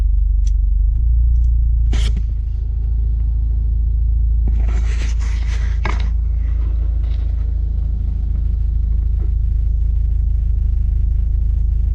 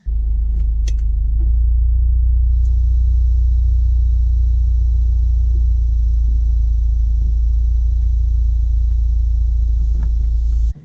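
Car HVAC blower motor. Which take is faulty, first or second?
second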